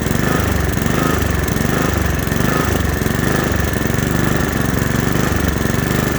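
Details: Honda HRX217 mower engine surging, speed rising and falling about once a second instead of holding steady; caused by dirty carburetor, fixed by cleaning the carburetor.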